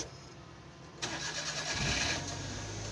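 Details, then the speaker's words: DA63T multicab with K6 engine that starts hard and stalls on the road: started after four ignition-on cycles to build fuel pressure, it catches abruptly into a rough idle; fuel line pressure bleeds off, and the fuel pump is suspected, possibly overheating. "So nagpundo na kasi ng pressure yan doon sa fuel line. So yan yung ah ano problema."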